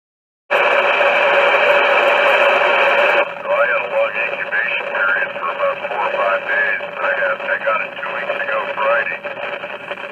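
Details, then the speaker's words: Yaesu FT-857D receiving on FM with failing ceramic filters in the second IF stage (CF1003 for wide FM, CF100 for narrow FM); grainy audio with faint popping from subtle arcing in the filters; fix is replacing the filters. "following as an example of the receive audio on FM with the bad filters note the graininess of the audio and listen for the popping noises I mentioned earlier from the subtle arcing in the filters it should be very distinctive"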